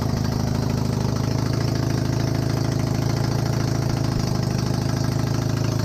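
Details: Honda CB250N Superdream twin project bike, built from boxes of bits, with new spark plugs, on partial choke. A smooth, even low-pitched idle with a steady pulse of about three beats per second and no knocks. Healthy normal idle; large front oil leak.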